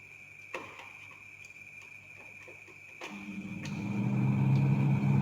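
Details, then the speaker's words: 10-year-old refrigerator after repair for noisy running and poor cooling, buildup of ice cleaned out and cover refitted: few light clicks, then compressor starts with smooth low hum and faint steady tone; quiet like new, normal running. "Nah, mantap. Aman sudah. Sama seperti suara ketika kita baru beli lagi."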